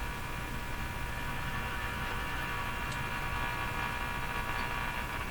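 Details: Silvertone 101-583-2 multiband tube radio during an operational check, running without its loop antenna: a steady low hum under faint hiss and static from the speaker between stations. Audible mains hum, cause not yet traced.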